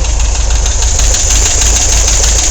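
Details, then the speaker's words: Volkswagen engine at idle, loud with a sharp regular clacking from one lower corner of the engine, much louder than its usual noise; source not yet known. "you hear the noise on this side of the engine I'm not sure how well you can hear that but there's a clack down in this corner and I got to figure out what it is"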